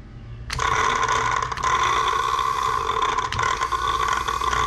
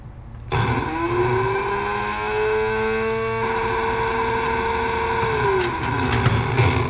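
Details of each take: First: Fuel pump from a cheap dump truck, bench-tested off the truck after its connections were cleaned: it kicks on with a steady high whir, but the tone wavers unevenly with a gritty scraping edge; it works but sounds a bit rough. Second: The same dump truck fuel pump, bench-tested again after being opened, shot with chain lube against a slight metal-on-metal sound, cleaned and reassembled: it spins up to a smooth, steady mid-pitched hum, holds for several seconds, then winds down cleanly with no scraping; it sounds healthy.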